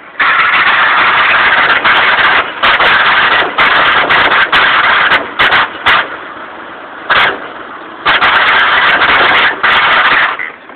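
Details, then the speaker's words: 1997 Ford Aspire in neutral with the clutch pedal released: a loose, uneven metallic rattle that swells and fades. It is silent with the clutch pressed, worst in first gear and nearly gone in fifth. Owner suspects transmission, clutch or throwout bearing. "today it started also doing the noise as soon as uh I have it neutral as soon as I take my foot off of the clutch"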